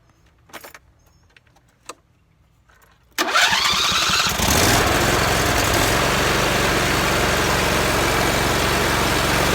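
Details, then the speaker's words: John Deere mower after new spark plugs and cleaned coils and magnets, cover off: engine catches quickly and settles to an even, steady run with no popping or backfire; the popping is fixed. "well that seems to have fixed it and don't pop anymore"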